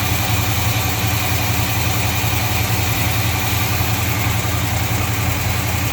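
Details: 1953 Chevy truck after a hose leak fix and backing off too-advanced timing: even, loud idle with a regular beat of about two per second and no misses or knocks. Healthy, fast idle stuck on because the choke is disconnected.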